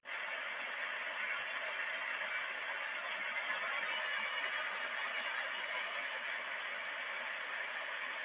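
Steady high rushing friction hiss from the bearing that eases only slowly as grease goes in: a dry bearing being relubricated.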